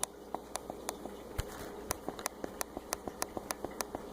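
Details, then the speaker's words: Laptop opened for non-clicking trackpad, pressing the small bubble switch under the trackpad directly: crisp, sharp ticks about four or five a second, each a clean snap; this is the normal click that registers a press. "that sound should sound pretty familiar this is a little bubble thing and that's how it registers when you press on the trackpad"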